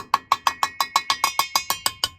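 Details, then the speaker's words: Home water expansion tank, about five years old, tap test along its side: even knocks about six a second, ring changes once past the seam, showing water sits in the lower half below the diaphragm; normal. "And here you can see still, as soon as you cross that line, you see that there's water there for sure."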